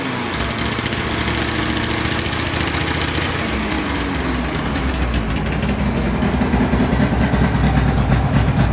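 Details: Polaris XC600 two-stroke snowmobile, long-stored, first run after new piston rings, cold: loud, raspy idle wandering up in pitch with a harsh open bark because the exhaust gasket is missing, causing an exhaust leak.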